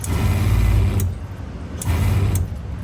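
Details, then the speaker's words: Water pump with a pressure regulator in a car hauler/RV conversion's plumbing: a low drone starts and stops in short bursts, each marked by a sharp click, as it switches on at a pressure drop. This is normal cycling. "I was telling you guys it has a pressure regulator. So, when it feels a pressure drop, it turns on."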